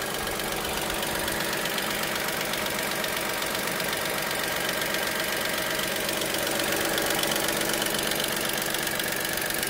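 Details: Dacia Sandero SCe75 at idle: fast, fairly even ticking roughly two to three per second over a steady idle; ticking at idle, cause not clear.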